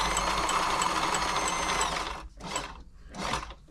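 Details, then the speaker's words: Frister & Rossmann 904 sewing machine before service, run with needle removed: steady fast light ticking over even running hum, persisting without needle, so tapping is put down to lack of lubrication. "right got the need so it's tapping that's down to lubrication so we'll get it all get it all lubed up"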